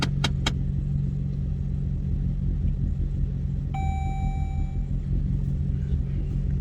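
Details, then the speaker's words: Dodge Journey restarted after sitting about five minutes following an unexpected hard start during an alternator check; now an even, steady low idle rumble with no knocks or misses, a brief tone and clicks over it; normal idle. "it sounds normal now. I don't know what that was the first time, but right now it sounds normal."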